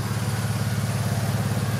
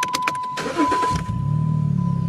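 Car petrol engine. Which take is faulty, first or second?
first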